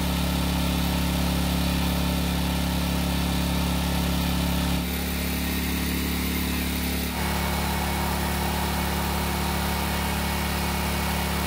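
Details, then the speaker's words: Generac generator, long stored and revived by carburetor work, holds constant speed through a slight load change on a light load (small space heater), steady even drone, no hunting or surging; light-load check shows it runs smoothly. "now I have to admit it but I didn't put that much of a load on the generator however I just needed to make sure that it still works which it seems to be"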